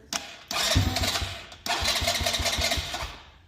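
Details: 2024 Polaris Phoenix 200, after fixing a loose spark plug wire and adjusting the carb needle, slightly warmed, on choke: small single fires after a short crank, briefly cuts, then runs with a quick even putter; normal cold start on choke.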